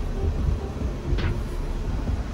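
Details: 2012 Mercedes (Dodge) Sprinter van with a former intermittent no-start from a failed electronic steering lock, final test after fitting a steering lock bypass emulator. Low, even diesel rumble settling into a steady run with no stumble; starts and idles fine, no dash lights.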